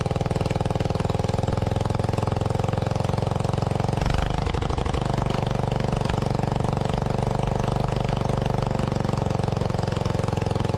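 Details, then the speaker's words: Lincoln Weldanpower welder-generator with a Briggs & Stratton 16 hp single-cylinder, sat three years, running on its old leaky carb: steady chugging with a brief speed wobble. Idle is unregulated because the governor linkage is disconnected. "it did run um it didn't seem to be regulating its idle speed"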